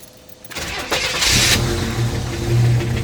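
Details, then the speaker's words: 1987 Buick Regal Turbo T that sat unused for years, first start after storage with about 10 gallons of gas in it: short crank, then it catches into a rough, unsteady idle that doesn't sound great but runs. "boom who what is that sound alright she started now is it gonna stay running don't sound the greatest but it does run"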